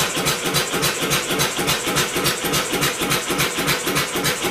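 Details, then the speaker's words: Homemade double-expansion four-cycle engine converted from a two-cylinder air compressor, first start attempt, cranked by electric motor: even rapid chuffing, only fired a couple of times; old plug suspected oil-fouled, plug swap planned. "d well it's fired a couple of times I'm going to swap out the spark plug that's an old spark plug out of the 360 that could be oil filed"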